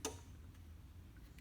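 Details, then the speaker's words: Bus with key off and a known battery drain: a few sharp dry clicks about a second and a half apart, something electrical switching; owner suspects an always-on computer module, cause unconfirmed. "with the compressor what's weird you can hear stuff clicking so I mean this I mean the keys off these computers are always on and drain the battery"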